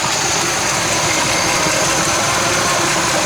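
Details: 1966 Chevy Biscayne, numbers-matching 396 big block, running off its own gas tank with barely any fuel visible in the filter, tune-up parts not yet fitted: steady, unbroken V8 idle rumble, no misses or stumbles; runs evenly.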